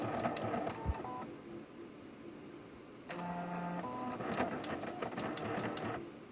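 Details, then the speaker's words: Canon BJC-80 printer after repair (scanner worked but it would not print): carriage shuffles and clicks through its start-up routine, then a clean double beep; initialization sounds normal. "Okay, we have a double beep there. It sounds like it actually is okay."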